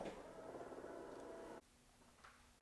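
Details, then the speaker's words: BMW X5 tailgate that rattles after rain or a car wash: a slight rattling buzz when the closed tailgate is pressed by hand. The fix is turning the rubber stopper adjusters; this side still has a little rattle and needs adjusting. "All right, I used to be able to push on here and can actually hear the creaking. So I wanna say it's gone. This one has a little bit, so I need to adjust this side. Has a little bit of rattle."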